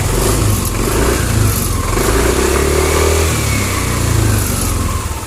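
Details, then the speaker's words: Yamaha NMAX scooter after repair of a harsh noise at the front of the engine, traced to the camshaft bearing: smooth, steady running with clean throttle blips and no harsh rattle, much better than before; normal engine running. "hasilnya sudah mending daripada suara yang awal mula tadi awal mula datang kesini tadi orangnya kasar sekali"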